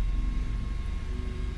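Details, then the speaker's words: Mazda 3 with an ignition-lock fault after the dropped key broke its transponder chip; with a newly programmed key the immobilizer light goes off and the engine starts cleanly into a steady, even low idle with no stumble or misfire. "vean el candadito se apaga ya nos permite el encendido"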